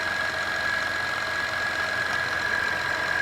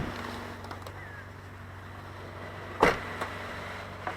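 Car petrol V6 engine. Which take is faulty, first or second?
first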